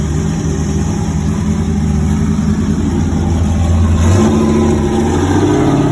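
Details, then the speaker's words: Nova race car engine, first firing in 38 years, after fixing a cracked fuel pump and leaks and setting timing: steady, even note with smooth revving and no knocks or misses; runs like a top. "we are so excited that the motor just runs like a top it just will bust off as soon as you turn it over"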